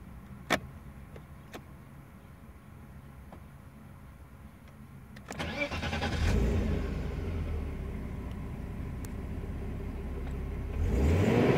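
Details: BMW E36 320i M50B20 six-cylinder with Prins LPG kit idling unevenly, two rising surges in revs, idle will not settle; rough idle problem owner couldn't solve.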